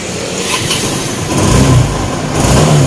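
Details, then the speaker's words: Yamaha Nouvo Elegance 135 scooter after major service with new weights, front nut and copper clutch: even engine note picks up cleanly with throttle and settles back, no knocks or rattles; test ride good, clutch and brakes fine. "ทำต่อไปลองขับมาแล้วนะครับดีครับกันดีขึ้นดีครับเครื่องสะดวกนะครับก็ระบบคลัชก็ดีอะไรก็ดีหมดเบรคดีนะครับ"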